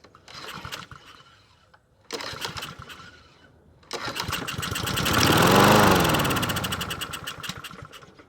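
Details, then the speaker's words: Husqvarna 7021P push mower with Honda GCV160 engine, unused for 2 years, first start on starting fluid sprayed into the carb throat with the fuel tap on. A couple of pulls, then it fires, revs smoothly and winds down; healthy engine. "Actually, didn't sound too bad. That sounds like a healthy engine."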